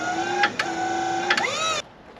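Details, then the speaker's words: LT40 Standard sawmill hydraulics after fresh fluid and new filter: steady piercing whine with brief surges, near toe board roller, then cuts out; unchanged, fluid/filter not the cause. "So that high whine is the problem. That's the near toe board roller."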